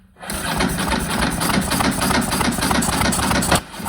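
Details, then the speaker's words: Ducati brought out of about a decade of storage, cranked with the throttle opened and float bowls just filling: steady fast starter churn with uneven puffs but it never catches; intermittent starting fault, owner suspects the ignition. "well if there's something I'm learning it's the the bike has an intermittent starting problem"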